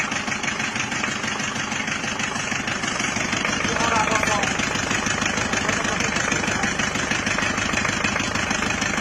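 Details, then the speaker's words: Diesel after new liner, piston rings and mechanism fitted, previously run out of coolant; at fast idle with throttle, rough knock about three per second over harsh clatter, traced to a dead injector nozzle. "Teman-teman, akhirnya mobil tersebut kita selamatkan ke bengkel Bospom karena noselnya ada yang mati sehingga terjadilah suara yang kasar seperti itu, ngelatak."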